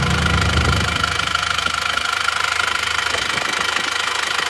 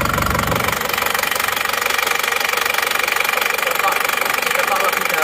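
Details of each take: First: Isuzu Panther diesel, hot, idling after repair: even clatter of about three beats a second with no misses. Only faint, normal smoke comes from the dipstick with no spraying; the fuel filter was replaced and the repair is finished. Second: Isuzu Panther diesel, still cold, idling after repair: a sharp, regular ticking knock of about two per second that sounds like over-advanced timing. It was retarded slightly and sounds better; the regulating valve is suspected but unconfirmed.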